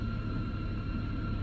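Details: 2013 BMW 328i idling with a steady high whistle over the engine rumble and a check light on.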